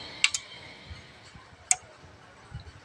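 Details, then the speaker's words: Amplifier with three relays (soft-start plus amplifier stages) at switch-on: only two crisp relay snaps where three should pull in, one side's relay silent; amplifier-stage relay not engaging, that channel suspected faulty. "มันต้อง3ครั้งสิเพราะว่ามีรีเลย์3ตัวแต่ดูด2ตัวไม่ดังนะครับดังไม่ดังฉะนั้นหนึ่งไม่ดังนะครับมีรีเลย์3ตัวเสียงดูด2ครับ"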